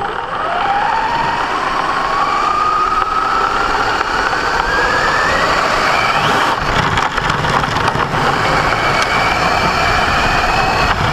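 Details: Brand-new Basher Nitro Circus 4x4 1/10 electric RC truck on 3S 4000mAh battery: motor whine rises with rough gravelly grinding under acceleration on ground; absent in reverse or off the ground; gear mesh already adjusted without fixing it.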